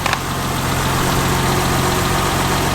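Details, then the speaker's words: 1990 BMW 325i (E30), first cold start after a timing belt, water pump, seals, hoses, cap, rotor and intake cleaning: a smooth, even idle with light valvetrain tapping and no knocks. The earlier idle surge is gone. "ice little sewing machine tapping away. Beautiful."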